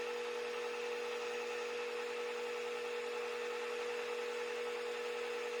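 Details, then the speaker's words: Mini mill after fitting a belt drive upgrade kit, first run in low gear (up to about 1100 rpm): smooth, quiet, steady hum and faint even whir with no gear grinding or clunking. Normal running. "See what it sounds like. Here goes nothing. Man, that's quiet. I can barely hear it."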